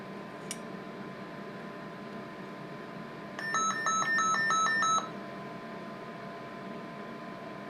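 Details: Service monitor overload alarm, a rapid run of two-tone electronic beeps for about 1.5 s over quiet room hum, triggered while probing the receiver of a deaf Motorola M120 (GM300 variant) two-way radio near the crystal lattice.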